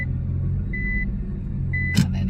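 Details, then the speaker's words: Nissan R35 GT-R with rear carbon panels removed, idling with beeps, then one sharp solid clunk as reverse/first gear engages. Normal for this loud, clunky dual-clutch gearbox and differentials. "into first you should expect to hear that clunk very prominently and once more so if you reverse the car and you put a full lock on it is very normal to hear those clunks going on as your clutches engage and your diffs kick in front and rear"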